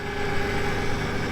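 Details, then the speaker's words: 1996 Toyota Tacoma 3.4L, after rolling on its side and a no-start, now running: steady even idle with smooth low thrum and regular firing pulses, no misses or knocks; healthy idle. "Let's hear it for me for getting it running."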